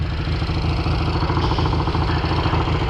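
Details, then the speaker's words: 1968 Triumph Bonneville 650 twin with two carbs, muffler with a metallic resonant note, choke removed: lumpy, slightly fast idle with an uneven beat between cylinders before one side's idle screw is turned down; carb idle imbalance suspected, not confirmed. "I'm gonna bump this idle down on this side. I can kind of hear it now. That's nice."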